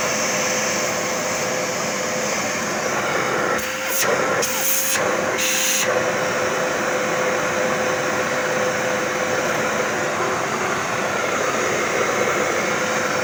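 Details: Zanussi 2100 W vacuum cleaner running after repair and reassembly: steady even airflow hiss with a constant mid tone, no rattles or surging; everything works normally.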